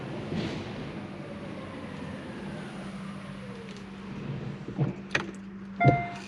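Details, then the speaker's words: Hyundai Kona Electric, about 30,000 km, slow crawl at night inside the workshop bay: faint steady motor hum with no whine or growl rising with speed; the drive unit is quiet and healthy. "rouler , en principe, tout est encore calme et il fait déjà nuit dans la neige."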